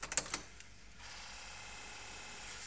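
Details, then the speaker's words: 2004 Mitsubishi CH Lancer after a fuel filter change, with the fuel pump fuse reinserted and the ignition turned to accessory: a few clicks, then a faint steady high buzz for about two seconds as the fuel pump primes normally. "that sounded like the fuel pump worked all right let's try and let's try and start the car now"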